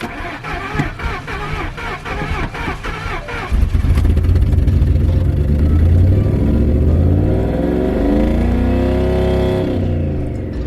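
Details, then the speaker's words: Mercury Marauder with turbocharged DOHC 4.6 L V8, previously knocking: revs under throttle then sags and stumbles, won't settle to idle; earlier knock now inaudible, bearings and rods to be checked. "No, it's not trying to idle, but I really can't hear a knock. I wonder if I didn't run it long enough last time, but it seems like the knock has gone away. Doesn't want to idle anymore."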